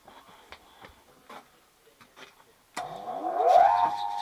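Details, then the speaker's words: 1941 South Bend lathe's old 420 V motor fed by a repaired Transwave static phase converter, tuned for lowest current: a few ticks, then a rising hum settling into a smooth, even run; healthy. "that sounds about right"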